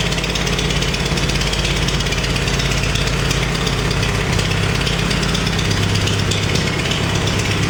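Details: Farmall 350 diesel tractor after rebuild, block warm but temperature gauge low (thermostat suspected): rough loping idle dropping out irregularly, cylinder missing; cracking No. 1 injector didn't change tone; fires on all four when lugged in 5th; cause unconfirmed.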